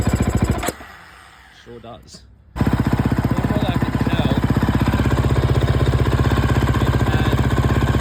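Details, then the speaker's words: 2011 KTM 350 SX-F single-cylinder, fuel tank already swapped: steady popping about four beats a second after a brief cutout, crisp but lean; massive top-end dead spot with no power, running super lean from a clogged fuel injector, possibly its filter, later fixed by replacing injector, tank and spark plug. "after I switched the tank I still had a massive dead spot up top end had no power at top end it was super lean uh so the injector was clogged"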